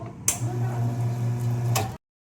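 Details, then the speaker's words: Espresso coffee machine, extraction button pressed: solenoid valve plunger clicks as it energizes, motor pump hums about a second and a half, then a second click as the plunger springs back when extraction stops; normal solenoid valve operation. "펌프 가동 소리가 나기 전후에 탁 소리가 나는데 이 소리가 솔리노이드 밸브가 작동되는 소리입니다."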